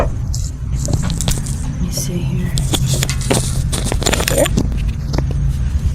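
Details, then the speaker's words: Axle rocked by hand gives irregular dry clunks and scraping clicks; outer joint tight, inner CV joint has play, grease leaking at its edge and separation visible; worn inner CV joint. "okay so I just confirmed that I definitely have to do the inner this you can see grease coming out of the very edge here"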